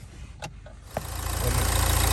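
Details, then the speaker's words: Low-mileage diesel Nissan Juke with a weak battery that had run out of diesel, jump-started from an X-Trail: several cranking bursts, then it catches after a long hard start and settles into a rising, steady diesel clatter. "fortunately she won't start which is a bit annoying"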